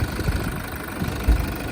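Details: 2013 Toyota Fortuner 4x2 manual diesel at idle just after start: short burst of low, steady diesel clatter with an even rhythm and no odd knocks; idling normally.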